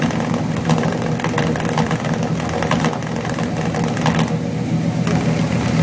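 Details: Chevrolet 350 V8 with long-tube headers at idle: a lumpy, irregular exhaust beat where cylinders drop out. Cylinders 4 and 6 are weak on the power balance test, a misfire from a leaking valley-side intake manifold gasket vacuum leak.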